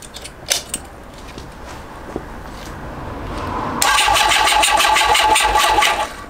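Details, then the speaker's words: CB750 SOHC cafe racer project motorcycle on its 7-year-old battery, owner suspects it's flat; quiet clicks then about two seconds of sluggish labouring cranking that stops; weak cranking, weak battery suspected, not confirmed. "so as you can see even now after all that we did I'm not charged it again it will turn the engine over and then it gives up"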